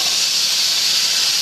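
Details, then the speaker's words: Boiler safety valve being set on steam, popping at 121 and reseating around 119, about 2 lb differential: sharp steady high hiss without sputter; valve lifting cleanly. "okay it's going to pop off at 121 so I got like 2 lb differential"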